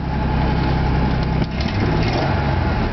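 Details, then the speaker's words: 1999 Ford F-150 XL pickup at idle just after starting, loud rough throaty exhaust rumble; owner says it's an exhaust leak. "hear that noise that's an exhaust leak dual airbags it does need some work"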